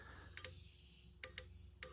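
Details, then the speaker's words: BMW E30 M3 with swapped S54 engine, fuel rail pressurized, one injector fired by applying power and ground directly: three sharp, clean tick pairs as it opens and closes, so the injector works. "you should hear a little something when you do yeah did you hear that y let that was the injector"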